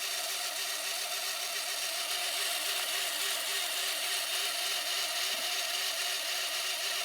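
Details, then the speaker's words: VCR rewinding a tape, opened up to extract a scrunched tape; high-pitched whirring hiss with a faint regular flutter and no low end; rough, noisy rewind, cause unclear. "let's rewind it and we'll take a look at what happens when it rewinds once again there we go hey woo doesn't sound good"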